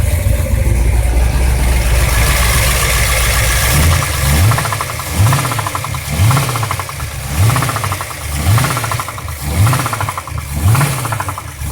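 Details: Ford 351 Cleveland V8 idling then blipped about once a second, with a rapid knocking through the engine note.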